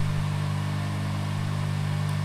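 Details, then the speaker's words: Electric motor with a rotating shaft vibrating and transmitting structure-borne vibration into the floor below the room, no isolation: steady low broadband hum with a firm drone underneath and no speed change; structure-borne motor vibration noise. "the region of desire for noise is the motor spine inside the motor the an electrical engine with a rotating shaft which causes his machine to vibrate and cosmic vibrations to the floor underneath this room"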